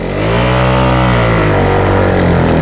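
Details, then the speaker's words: Yamaha Jog CE50 70cc scooter, rebuilt, aftermarket carb on 104 main and 40 pilot jet; engine picks up then sags and labours, nearly dying when ridden; owner thought lean. "But if we go and try and ride it, almost dies straight away."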